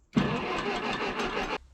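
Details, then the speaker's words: About a second and a half of even starter cranking with no firing, then it stops, on a 1956 Case 420B backhoe with a low new battery; no spark, later traced to a damaged felt spacer and bent washer under the distributor rotor. "So right now what's happening is we don't have spark. It's a brand new battery, but it's low."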